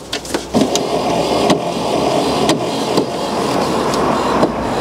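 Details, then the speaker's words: Barn-find Corvette C4 ZR-1 under restoration, UK, just after reconnecting the battery while fitting a performance chip to the ECM: a steady electric whir with light clicks as the headlight motor runs on its own, reason unknown. "That noise that you can hear is the headlight motor. I'm not really sure what it was doing there."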